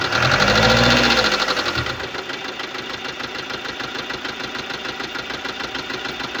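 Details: 2015 Subaru Legacy BR, 2.0 L (1998cc) 150 hp diesel, 146,842 km: starts and idles with fast, even light ticking from the top end, about 200 per minute; defective hydraulic lifters.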